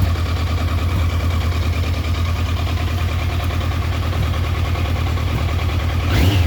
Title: Trophy 1200 rough idle